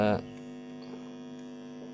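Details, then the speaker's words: Built Tone MD221 tone control in acrylic box driving a subwoofer, power at 12 o'clock: steady low hum with nothing playing, growing as the knob is turned; suspected poor cable connection, bad grounding or a kit fault. "ini kalau ada dengung begini seharusnya nggak ada dengung ini bisa kalian dengarkan semakin saya putar"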